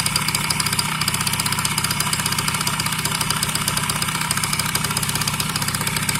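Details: Yamaha BWS 50 (2JA) two-stroke scooter engine that suddenly started knocking; fast even ticking over a buzzy idle, steady with engine speed: internal engine knock, source unknown.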